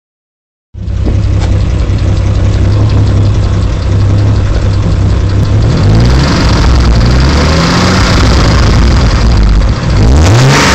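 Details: Car idles with a deep, uneven rumble that vibrates through the whole car, with a faint quick ticking from down low, loudest under the car near the driver's door, and a few rev blips. Rough idle developed over 2 weeks and eases after about 20 minutes of driving.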